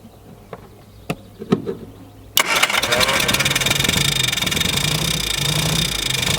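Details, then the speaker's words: Mk1 Mini Moke, engine previously seized from sitting, first start: a few clicks and clunks, then it catches and settles into a steady, even run with a fast regular beat; sounds good. "Oh, okay. Oh, that was it? Yeah, of course. This thing sounds good."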